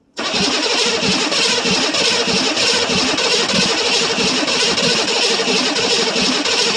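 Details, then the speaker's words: 1982 Chevrolet Silverado K10 with 6.2L diesel, sitting about 22 years, cold start after cycling glow plugs: steady starter churning about three pulses a second, cranks but won't fire, starting fluid next. "Almost acts like it wants to do something. But she's don't act like she wants to do anything now."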